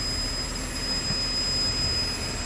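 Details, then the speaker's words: Mercedes-Benz W219 CLS 350 with collapsed Airmatic air suspension, heard from the driver's seat: a steady hiss and airy rush with a thin high whine over a low hum. The suspension is deflating while the compressor runs. Leak suspected. "oh you can hear it's deflating and going crazy underneath me"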